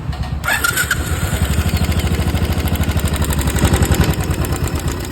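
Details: Royal Enfield Classic 500cc at idle: steady single-cylinder thump with a light, quick tick on every beat; noticeable play found at the tappets, both to be replaced.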